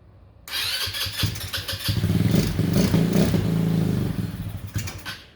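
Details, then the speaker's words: Honda Ruckus after replacing the fuel pump with an OEM Honda unit, primed. The small single fires quickly and revs up and down cleanly with an even, eager exhaust note. Normal start and running; the pump was the cause. "Well, she's back to running now. The fuel pump was the problem, and luckily, super easy swap, especially in my case, because this is all open."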